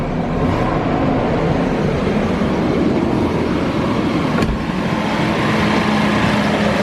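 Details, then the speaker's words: BMW 760Li, N73 V12, cold start right after engine air filter replacement: loud steady droning hum over idle is the secondary air pump, normal, active around 90 seconds on startup. "If you're wondering what that loud noise was from this area on startup, it's actually the secondary air pump. It stays active for around 90 seconds"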